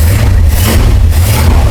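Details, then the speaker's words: 1963 Chrysler Newport with 361 V8, just revived after sitting, push-button transmission in park: deep, even idle with a strong steady low rumble and no knocks or misses, quiet mufflers; normal idle while warming up. "Man, does that thing sound good, huh? It does."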